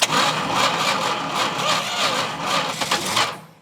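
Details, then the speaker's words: 1971 Plymouth Road Runner 383 V8 with 727 transmission, off the road since 1989, first start in 35 years: fires and runs ragged with uneven stumbling beats, then dies; owner suspects carburetor, float likely stuck, possibly flooded. "oh we caught that time she's a little wounded I think the carburetor is not"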